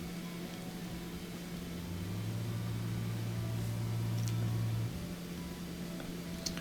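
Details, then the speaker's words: Kenmore Elite dishwasher that won't drain, door closed, forced drain cycle after checking the filter cap: drain pump hums steadily with no cavitation or water-moving sound; suspected blockage at the impeller. "the drain is working the door closed I'm just listening I can pretend to hear the motor humming but you don't hear the cavitation or the sound of water moving around"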